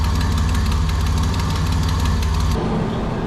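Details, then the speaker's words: 1987 Nissan Pathfinder VG30 V6 after head gasket replacement, warm idle with light quick ticking about three per second; owner unsure whether piston slap or exhaust leak. "i don't know if that's time about slap or brutal exhaust leak or something but something doesn't sound very happy on this side"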